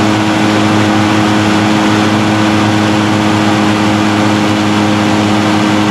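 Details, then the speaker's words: Echo PB-580T backpack blower after new recoil starter rope, new coil and kill switch fix, run outdoors: steady high-revving two-stroke buzz with strong even fan roar, starts easy and runs healthy. "right, well that sounds good. I think starts easy, runs good, blows hard."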